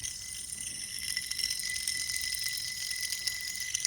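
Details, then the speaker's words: Idler pulley removed from a 2001 Mustang GT, spun by hand: dry, gritty rattle with a faint thin whine from worn-out bearings; it had sounded like a loose belt on the car. "but this one this the bearings they're just really worn out and inside that's it"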